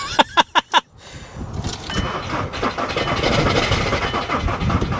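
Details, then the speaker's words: Diesel salvage vehicle, glow plug light blinking, on a jump booster pack dropping from 11.2 to 10.4 V: four beeps then slow labored cranking that won't start; owner suspects the booster pack is running out. "yeah it's just not sounding promising man just cranking over real slow"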